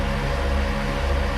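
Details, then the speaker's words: ARB CKMTA12 on-board air compressor on a 2020 Ford F350 runs with a steady, even motor hum at a fixed tone and no knocking or rattle. It is powered from upfitter switch 2 at about 13.8 V after new relay wiring, and runs normally. "I hear noise. Sweet, that worked."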